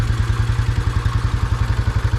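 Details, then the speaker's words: Royal Enfield 350 Bullet with iron barrel, cold, with choke: low, even single-cylinder thumping about ten beats a second with a dull chuff each beat; the composite head gasket has blown, leaving almost no compression, and oil is leaking. "if I open it up you can hear it it's probably only running cuz it's cold when everything expands it'll let it blow out a bit more but you can hear it now"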